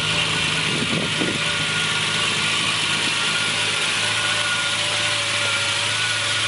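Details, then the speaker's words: 1965 Ferrari 330 GT 2+2 V12 just started from cold: even, steady idle with a smooth busy hiss on top, no knocks or misses; normal cold idle while warming up. "the 2 plus two has always been a very expensive ferari I just love the noise it makes"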